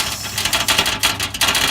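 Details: 2011 Mitsubishi Outlander Sport with a rusting part that has a little play: quick tinny clattering bursts, about three a second, like loose metal rattling; spacers are being fitted to stop the rattle.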